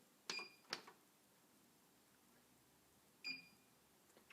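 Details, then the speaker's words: DK City treadmill with incline E7 error, incline motor and circuit board suspected; sharp high console beeps, two close then another, as stop and incline-down are held to bring the incline count from 2000 to 280. "now you hear that beep you'll want to wait a few extra seconds to see if the number starts counting down"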